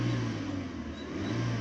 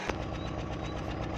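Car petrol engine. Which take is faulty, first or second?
second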